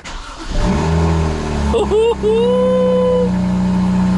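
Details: BMW 135i N54 6-speed manual with MHD tune, after a no-start while flashing the tune over a flaky wireless OBD2 connection; engine catches quickly, flares with rising tone, then settles to steady even idle; normal start and idle.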